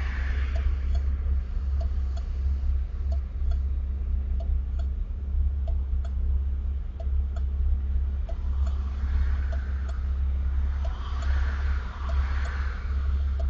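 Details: Camaro with a 347 V8, recorded with T-tops off and windows down. Deep, lumpy V8 idle with an uneven loping pulse and light ticking; a subtle rough idle, felt more inside the car. Cause unknown.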